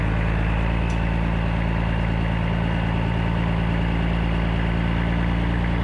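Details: 1995 Western Star with Cat 3406E diesel after new 6-inch Grand Rock exhaust replaced the holed, sheared-flex-pipe system: deep, steady idle, even low throb about three pulses a second, no rattle or ticking; healthy exhaust note.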